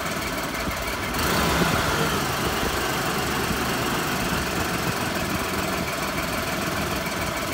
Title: 5VZ-FE Running rough after head gasket replacement